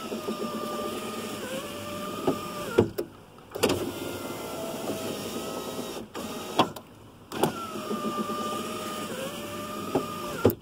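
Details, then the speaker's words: 2001 Chevy Venture power window after Dorman 924-072 motor mount repair and tightening screw: three clean cycles, steady even motor whine ending in a firm stop click, no grinding or skipping; slight flex remains, fix appears successful. "right I think we may have this problem licked let me roll down one more time got just a little bit of flex right in there so hopefully this holds pretty well"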